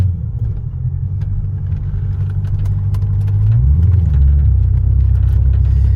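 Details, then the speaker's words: Lexus LS400 under full throttle with the pedal floored: a deep, labored rumble that never picks up speed as the engine wants to die, from fuel starvation by a clogged fuel filter; an OE replacement fuel pump is fitted and noisy. "this is what the car is doing give the gas it just wants to die that's to the floor"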